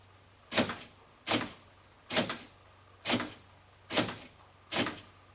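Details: 1997 Ford Ranger 4x4 door after fixing a sloppy door handle: six crisp latch clacks a bit over a second apart, each clean with no binding; the door handle now works properly.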